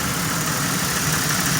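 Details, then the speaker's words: Car after top-end work with new wires and original spark plugs: mostly steady idle with slight roughness and occasional stumble; still misfiring a little, owner suspects an upper intake manifold vacuum leak, finding cites failing coil packs/ignition module. "still miss firing a little bit right now dealing with new brand new smartphone wires in the original spark plug"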